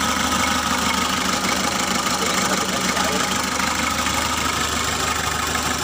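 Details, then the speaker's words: Mitsubishi L300 diesel just after an engine overhaul, run briefly without the radiator fitted while coolant warms: even diesel clatter at a steady idle, about two beats a second, with a loud hiss. Runs normally. "Được rồi các bạn, hãy tắt máy đi vì như vậy là bình thường, chúng ta chỉ cần hoàn thiện nốt động cơ thôi."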